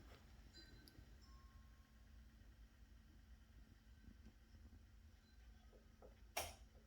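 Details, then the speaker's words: BMW M3 race car, MK60 ABS module after clearing the wheel speed sensor fault code: quiet cabin, then one sharp click about six seconds in as the module does its normal self-test and the warning light goes off. "hear it click now watch off it goes"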